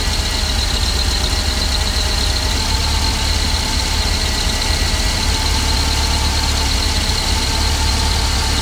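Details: Jeep 2.5 at very low idle, sometimes dying when stopping: low, heavy idle rumble with a faint thin steady squeal on top; owner suspects a vacuum leak, not confirmed.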